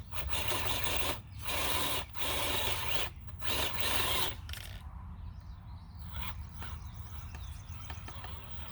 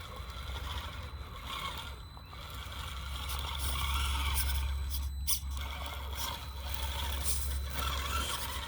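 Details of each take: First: FCX18 K10 RC rock crawler climbing rock: rough rasping bursts in uneven pulses as the rear wheels drive and strain, tire rubbing at the rear, holding the truck back. Tire rub. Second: FCX18 K10 brushed-motor RC rock crawler climbing rock: thin, steady electric whine under a low rumble. Brushed motor sounds normal under load.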